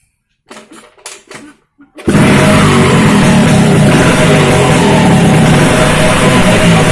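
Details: Vespa racing two-stroke project engine with a direct-mounted reed intake, repaired crankcase inlet, uprated clutch spring and SRP competition exhaust, first start test: after a few short attempts it catches and settles into a loud, steady buzzing run with no knocks.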